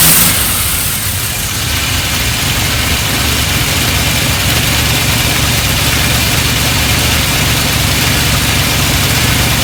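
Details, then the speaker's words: Triumph Stag V8, first start after about 15 years unrun, carbureted: rough uneven idle with an irregular stumble about three times a second, missing and unresponsive to throttle because the accelerator pump jets aren't working. "it was missing a little bit um didn't want to respond to any form of throttle really at all um due to the pump Jet"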